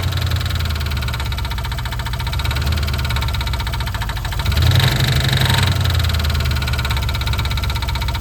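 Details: 1988 Mustang GT 5.0 V8 with carbureted conversion, Duraspark distributor, factory headers: rough idle with an irregular knocking patter about four per second and a brief rev; abnormal engine noise at idle, cause unclear.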